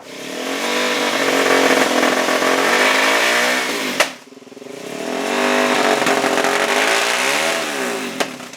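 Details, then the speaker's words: 2004 Suzuki DRZ400S single-cylinder with weak power: through quarter to three-quarter throttle roll-ons it bogs, surges and backfires with sharp pops; mid-range bog, owner suspects running very lean, fuel screw opened to three turns. "I'm rolling on the throttle and like quarter to three quarter throttle, it's bogging, backfiring, and surging, um making me think it's it's really lean."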